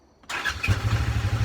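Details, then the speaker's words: Polaris RZR after sitting a year, fresh oil and new battery: short crank, catches immediately and settles into a firm even low-pitched idle without stumbling; normal cold start. "fires right up anyway give you a little walkthrough on it"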